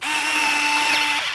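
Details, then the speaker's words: Freewing F-16 70mm EDF RC jet V3, Arctic Camo: high, steady servo whine for about a second as the retract gear closes, then a brief final grinding; normal end of cycle, needs half a second after fully up. "Hear that final grinding? You got to give it a half a second once it's all the way up to complete the cycle."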